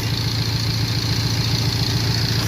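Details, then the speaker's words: 1998 Toyota 4Runner four-cylinder, waste-spark ignition, at idle: uneven loping pulse from one cylinder misfiring with no codes stored; scope shows no burn time, plug wire arcing to ground. "it's a Toyota 4Runner it has a Mist fire but it doesn't have any Cod"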